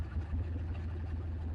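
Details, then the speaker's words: Turbocharged 5.3L LC9 LS engine in a shop truck with a new ECM and tune, after major engine failure with cylinder 7 possibly suffering piston failure: rough lumpy idle with one cylinder dropping out, a clear misfire. "You can definitely hear it now. It's skipping on 1."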